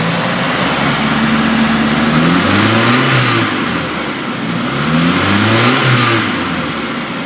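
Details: 2000 Chevy S10 2.2L four-cylinder petrol revs up twice with a busy metallic rattle rising with speed; source unknown.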